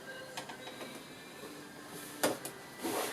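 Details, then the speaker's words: Sewing machine stitching thick material for a pool blanket cover with very fine stitch length: irregular clacks and a sharp snap break through the stitching whir; thread bunched underneath, possibly from two cottons of different strengths. "don't like that sound something's not working right it's if you can see it's all got bunched up underne whether it's because the two Cottons are different strengths I don't know but I'm going to have to undo all that and start again"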